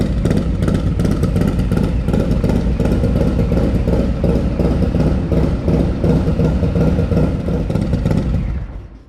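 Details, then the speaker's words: Harley-Davidson Lowrider S with a 131ci Stage IV kit, first start after swapping the Screamin' Eagle 517 cam for a Cycle-Rama 512 cam, with a Fueling OE+ cam plate and S&S lifter cuffs: crisp, even loping V-twin idle with clean throttle blips, no knocks or rattles; sounds healthy. "So I'm pretty sure we're gonna make some more power, judging just by that note. That thing sounds so crisp."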